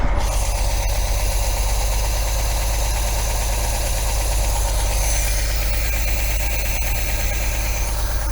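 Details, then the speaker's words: 1980 MGB after new spark plugs and tappet adjustment, lapel microphone near engine: lumpy, uneven idle with deep throb stumbling about twice a second; still misfiring but much improved, carburettors thought badly out of balance. "hey that's a hell of a lot better folks as i said it's still misfiring but it's starting to come good now i reckon"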